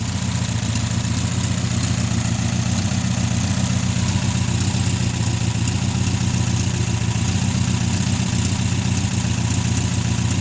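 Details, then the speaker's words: 1600 VW air-cooled engine after about 10 years sitting in salt spray, running about 10 minutes on fast idle until out of fuel: steady, even, smooth throb with no knocks or misses; normal fast idle. "Been sitting there running on fast idle for about 10 minutes, just waiting on it to run out of fuel. Happy as Larry."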